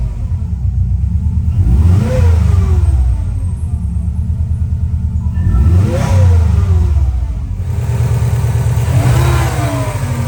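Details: 2003 Subaru Impreza WRX NB (TA-GDA), EJ205, 5MT, 148,345 km: howl rising and falling with revs on three blips, noise also at shutdown; turbo found with shredded compressor blades, axial shaft play, coolant and oil on exhaust side. Failed turbocharger.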